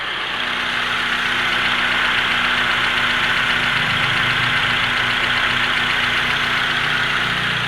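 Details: Honda CR-V gen 2 automatic, after repair of rough gear noise in the transmission, idling in neutral: even, steady idle with no grinding, whine or clunks, just a smooth constant hum; transmission sounds healthy.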